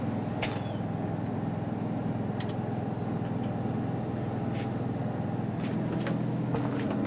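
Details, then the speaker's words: Newly installed Onan 5500 RV generator in a 1976 GMC Motorhome: low, steady, muffled quiet hum from under the floor, no knocking or surging; running smoothly. "you come outside it's really quiet now i have the exhaust running coming out right there"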